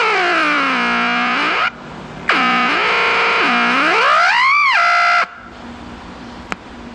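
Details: Packard Bell 35 tube AM radio chassis, old and previously stored outside: loud whistling squeals swooping up and down like a theremin, cutting in and out; set oscillating, cause unconfirmed, owner suspects a previously replaced 18k resistor.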